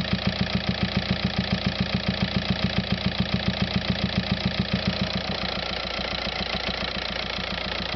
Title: VW Passat TDI weird engine noise